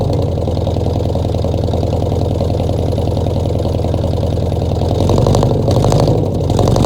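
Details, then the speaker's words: 1966 Ford F100 V8 first start in 17 years, bottle-fed fuel into carburetor, no coolant (freeze plugs out): barely holding idle, uneven stumbling beat with dropped pulses and surging revs; definite miss. "Now she's not gonna run on her own because I'm just bottle feeding her. But she almost tried to idle. She got a definite miss."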